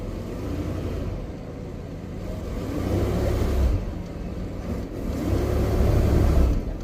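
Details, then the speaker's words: Hearse after fuel pump replacement, first real run on a gallon of fuel, in gear: engine speed surges and sags every couple of seconds, rough idle about to stall; cause unconfirmed. "But it does have reverse and it has forwards, but it does want to die. So, we'll figure that out."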